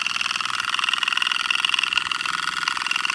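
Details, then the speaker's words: Small reversible oscillating model steam engine made in 2001, run on compressed air, not run in years: quick even chuffing about three puffs a second with airy hiss; runs smoothly. "pretty interesting runs nice again i haven't had these running in years"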